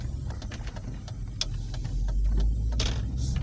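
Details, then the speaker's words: Volvo P2 platform (V70/S60/S80/XC70/XC90) idling: short airy snake-like hisses near the brake pedal from a leaking brake servo/booster seal, intermittent some days; fix is replacing the seal. "you probably get the id it sounds like as a snake on near the brake pedal So it sounds like a snake"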